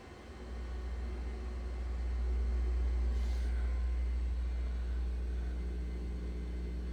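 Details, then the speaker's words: Pro audio rack home system with the gain set far too high gives a steady, deep 60/120 Hz mains hum through the speakers. Not a ground loop or electrical fault; turning the gain down removes the hum. "your hum turn it down no more hum and it still works perfectly"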